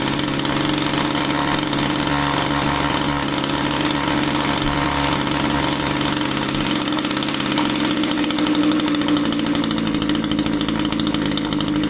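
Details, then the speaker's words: Echo string trimmer two-stroke powerhead: the buzzy note wanders and sags instead of holding steady, nearly dying when the fuel cap is loosened; tank vent suspected by many, root cause still unknown. "You loosen the fuel cap and the machine wanted to die out. That's not a common thing, and a lot of you might be thinking it's the tank vent."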